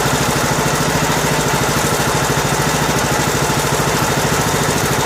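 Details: Two-year-old Husqvarna riding mower, 18.5 hp Briggs & Stratton Intek, after replacing broken compression release camshaft and tappets, first start with choke on: steady, even fast-idle putter with regular firing and no knocks or misses; runs normally.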